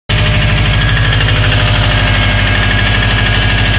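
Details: Subaru Forester SF5 EJ20 turbo engine at idle: hard, steady, deep metallic knocking about three times a second from worn rod bearings (liners).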